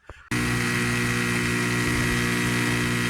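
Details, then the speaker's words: Newly replaced drain pump in an LG WM2501HVA front-load washer, fitted after an OE error; starts abruptly and holds a loud, even buzz with no grinding; normal drain pump operation. "That is the sound of a properly working drain pump. That is the new one. That's what it should sound like."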